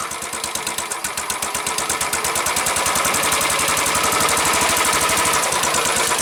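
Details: Single-cylinder motorcycle with a brand-new crate engine (including throttle body, injector and starter) installed by the dealership, first start at the shop: crisp, even thumping about three beats a second settling into a clean, healthy idle.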